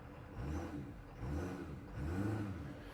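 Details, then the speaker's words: 2018 Ford Powerstroke diesel after installing Fleece upper and lower fuel filters with an S&B fuel tank, no leaks: soft, even low diesel rumble at idle with a gentle steady pulse and no knocks; a healthy, smooth idle. "So just turned over 86 on this thing, 18 mile, but I keep it clean. So we'll let it here idle a little bit."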